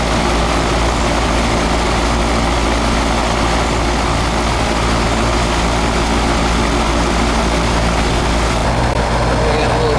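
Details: Old, likely R22 AC condenser, charge-check visit, superheat 25–27, suction 66, charge judged fine: smooth even fan whoosh over a steady low compressor hum, no rattles or surges; normal operation.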